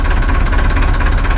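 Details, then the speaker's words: Perkins 4236 marine diesel in a sunk narrowboat, first startup after rescue; deep, fast, even idle thumping, about ten beats a second, steady, no leaks, running sweet. Normal idle. "That's full of water. No leaks. Engine's still sweet."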